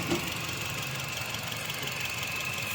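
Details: Toyota XLI with code P0354, wiring being checked: quiet idle with uneven stumbling beat and occasional missed pulse, one cylinder misfiring. Misfire at idle, cause suspected, not confirmed.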